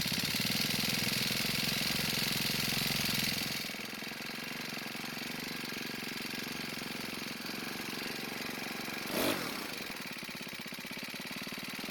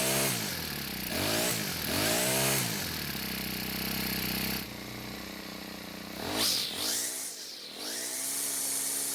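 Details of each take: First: Cub Cadet four-stroke trimmer, partly warmed, idle speed raised: revs high, then drops to a thin uneven idle and dies on its own. Lean; carb adjustment likely needed. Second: Cub Cadet four-stroke trimmer, after turning the hidden carb screw half a turn counterclockwise to richen it: revs up and down cleanly and holds a steady idle between throttle blips without stalling.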